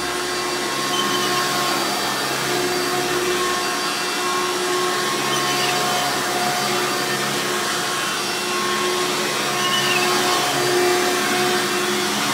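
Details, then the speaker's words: Hoover Runabout Deluxe U5064-930 upright vacuum (2000), motor rebuilt after dry, seized bearings; loud, steady high-pitched motor scream holding an even note, no grinding or rattle: normal motor run after rebuild. "let's go ahead and turn this thing on and we'll demo it for you guys so you can hear it knowledge screaming overly loud hoover glory"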